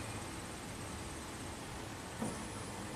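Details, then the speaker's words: 2003 Chevy Silverado Classic V8 with a no-crank fault, fuel pump commanded on with a scan tool: thin, steady high whine runs evenly; normal fuel pump operation. "one quick check I just want to see if I can B directionally command this fuel pump"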